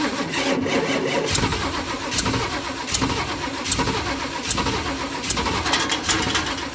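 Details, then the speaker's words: 1976 Ford F250 crew cab parked almost 17 years; steady, brisk cranking that never catches or fires; sounds like no fuel, owner adds more gas; weak battery needing charge; crank no start. "sounds like she's not getting fuel let's try to pour a little bit more gas in there"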